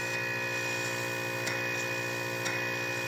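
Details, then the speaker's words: Refrigeration compressor salvaged from a recycling center, bench-tested with a filter dryer on the suction via a rubber hose: a steady, even electric hum with a faint tick about once a second and good suction, throwing a little oil, which is common; normal running. "it's got good suction but i don't want to run it too long she's throwing a little bit of oil out which that's common"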